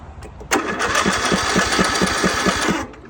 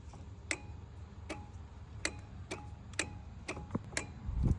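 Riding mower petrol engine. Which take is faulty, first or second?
second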